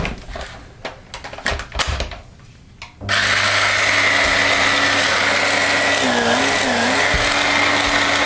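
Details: Electrolux Ultra One powerhead after belt replacement, test run: after some handling knocks the motor starts and holds a steady, even whir with no slapping or skipping; brush roll now spins normally.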